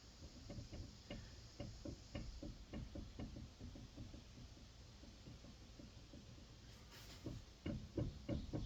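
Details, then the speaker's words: Subaru Crosstrek rear wheel bearing, driver's side, wheel turned by hand; uneven low knocks about three a second, felt as roughness, very bad — rear wheel bearing knock; car in salty area, bearings replaced before. "If you roll it, you feel it toot, toot, toot, toot, toot. Oh, listen to this. Wow."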